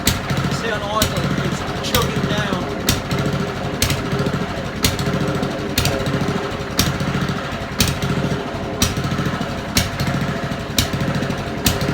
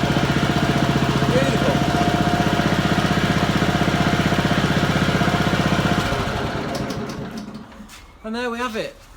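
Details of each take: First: Old Honda mower idling before carburettor cleaning: rough uneven idle with sagging bursts, surging and intermittently cutting out; dirt in idle jet and float chamber. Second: Honda lawn mower, single-cylinder, after cleaning the carburettor idle jet and float chamber to cure surging and cutting out at idle: steady, even fast putter for several seconds with no hunting or surging, a normal idle.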